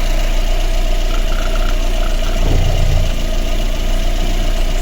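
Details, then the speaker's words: Lada Granta 1.6, 200,000 km, engine never opened, hot idle before head rebuild: uneven stumbling misfire on cylinder 3 with rumble underneath; no room left for valve adjustment. "Чітко чуємо, що двигун наший траїть. Дуже йому погано."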